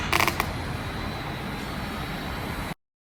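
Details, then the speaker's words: Yamaha FZ-07 motorcycle with old battery after charging: a few quick clicks at the button, then only a faint steady hum with no cranking; battery too weak to spin starter, replaced. "so here's what a bad battery sounds like I hooked it up I charged it and tried to turn on the bike"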